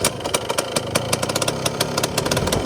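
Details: Yamaha Blaster two-stroke ATV, flywheel cover off, no throttle hooked up: rapid slightly uneven crackle idling on its own; it fires and keeps running fine.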